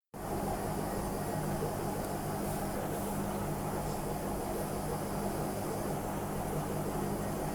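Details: Washing machine spinning at 400 rpm: constant deep rumbling roar with a steady low hum that never smooths out; the drum wobbles off-centre, pointing to worn tub bearings rather than the shock absorbers or springs.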